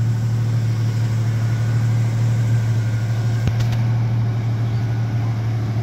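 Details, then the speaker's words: 1989 Mitsubishi Pajero V6 idling after its cracked, warped stock exhaust manifold was replaced with Australian-made stainless steel extractors: smooth, even low idle with steady deep rumble, no ticking or puffing; exhaust leak fixed, much quieter, sounds way better. "sounds way better fantastic [Music] yeah dude it sounds way better [Music] way better it's quieter"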